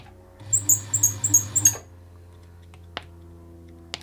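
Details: Poorly maintained Bernette 50 sewing machine in for service, tracking down a squeak: high sharp chirps, about six per second, with each stitch while running, stopping when it stops; mechanism squeak.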